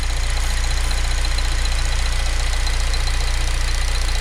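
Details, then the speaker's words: 2006–2011 Honda Civic Si idling: quick even pulsing with a thin high squeak from the serpentine belt and pulley area; bad belt or pulley suspected, not confirmed, to be checked by spraying water on the belt ribs. "so first off I'm - you guys can hear that squeaky noise or coming around with Polys are the deltas"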